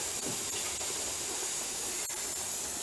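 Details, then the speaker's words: Presto dial-gauge pressure canner on its first test run, venting steam before the jiggler goes on, later holding 12 pounds: steady, even hiss with no sputtering or surging; normal steam venting. "But it is steaming, so I'm gonna put the timer for 10 minutes and we'll come back to put the jiggler on."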